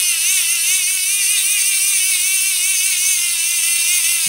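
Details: Hand-crank DC generator in a solar radio, after a spacer on the motor shaft fixed gears not meshing, just over 7 V unloaded: even, high-pitched whir rising and falling slightly with each crank turn, no skipping; normal gear whir.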